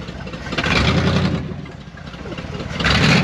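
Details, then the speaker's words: 1974 Dodge W100 Power Wagon V8 running after sitting 41 years: sharp pops and backfiring on each light throttle blip. A massive vacuum leak is suspected, possibly from the leaking brake booster. "You can hear when I tried to give it just a little bit of throttle, popping and backfiring. But it runs and it sounds pretty good."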